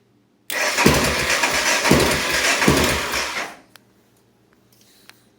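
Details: 1988 Honda NX650 single, crank but no start: starter spins the engine about three turns a second for three seconds, unevenly, engine never catches, then silence.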